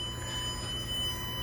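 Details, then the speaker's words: Car reverse-light circuit, short tracer tool plugged into the distribution side of the fuse with the car in reverse: steady high wailing electronic tone over a low hum, signalling a short in the circuit. "Okay, that wailing sound that says, hey,"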